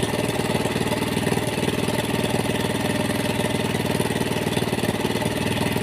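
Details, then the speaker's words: Suzuki Thunder 125 single-cylinder motorcycle that was hard to start, now running after spark plug check; carburetor found dirty and mixed with water, before idle and air screw adjustment: steady, even low idle putter with no misses or rattles; normal idle. "Ternyata motor saya hidup ya bosku. Hanya permasalahannya pada karburator yang kotor ya bosku, bercampur air."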